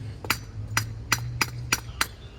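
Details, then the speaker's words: Nissan 240SX S14 with RB25DET Neo, rear hub removed after bearing failure made the wheel shake: sharp metallic clacks, two or three a second, as the hub is rocked; worn rear hub bearing play, hub being replaced. "I don't know if you can see that, but has a lot of play in the hub."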